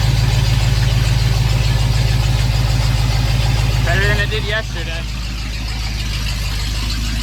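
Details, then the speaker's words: 1993 Ford F-150 with swapped 351 Windsor V8 after reassembly: smooth even idle after starting, no stumbling or hunting, good oil pressure; running properly. "I love the oil pressure it's making."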